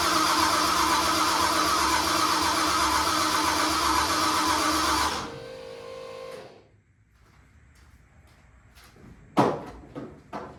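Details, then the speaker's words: 1974 Mercury Comet with 5.0L Coyote Procharged swap, new starter just fitted: steady starter churn about four beats a second, engine never catches; voltage drops to about 10 V while cranking, owner unsure whether battery is too weak. "So I don't know if maybe that battery is just not strong enough to turn it over."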